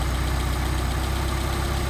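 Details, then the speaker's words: Rebuilt Solex carburetors, idle around 700–800 rpm, adjusting idle mixture screw: steady low idle with even firing pulses; speed picks up as the screw is backed out and drops off again if turned too far. "you hear the idle pickup and it'll drop off again if we go too far there we go starting to drop off again"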